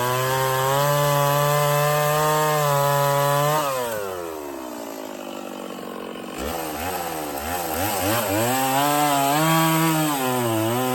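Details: Stihl 024 chainsaw after carb tuning and makeshift aftermarket air filter, cutting firewood; crisp high rev bogs into the cut and pulls back up smoothly, no stumbling; sounds good up high, not missing much; normal running under load.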